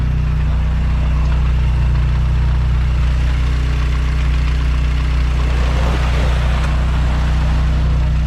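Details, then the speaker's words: Mazdaspeed6 after rebuilt high-pressure fuel pump, first start: deep, steady idle with an even low rumble and no knocks, ticks or misses while warming up; no check engine light, charging at 14.2 volts, runs normally. "oh dude how sick dude it runs like nothing happened like nothing happened dude"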